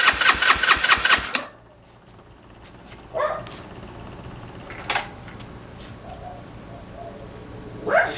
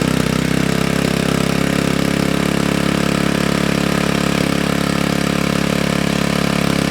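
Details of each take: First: GY6 engine with a 171cc big bore kit in a Honda Ruckus, cranked on choke at first start after install: a quick burst of rapid, even starter chatter that dies without catching. No spark, caused by stator blue and red wires to the CDI being reversed. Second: GY6 engine with a 171cc big bore kit in a Honda Ruckus, freshly rebuilt and idle adjusted, after the stator-to-CDI wiring fix: the single-cylinder engine holds a steady, even idle with a clean regular beat and no knocks. Normal idle.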